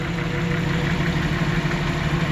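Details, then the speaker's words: 1992 Jeep Wrangler 4.0L after replacing a cracked exhaust manifold: even, steady idle with a smooth low hum and no ticking or puffing from the manifold; normal idle. "i'm just gonna go ahead and say it great success"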